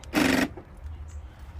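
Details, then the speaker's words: 2011 Infiniti G37 sedan front door: one loud, harsh buzz of about a third of a second when locking. The door lock actuator is suspected, though the mechanic says it might not be the actuator. It is being replaced anyway. "she's making a noise when you lock it let me show you real quick it's mad loud listen embarrassing it's the actual door actuator that's making a noise as you see"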